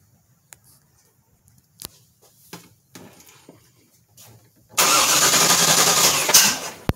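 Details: Vortec 350 SBC with LT4 Hotcam, Ramjet intake and 0411 PCM under tuning: scattered pops and stumbles, then catches and roars, ending in a sharp crack; hard start with backfire, IACV/tuning problem suspected.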